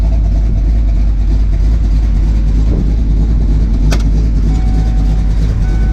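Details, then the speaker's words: Ford Fox-body Mustang LX V8 with big cam, after fixing idle surge: deep, choppy idle with uneven lope, holding steady without hunting or surging; normal lopey idle, timing believed slightly low. "anyway guys I just wanted to say that the car is running great and I'm just going to let you listen to the car for a second"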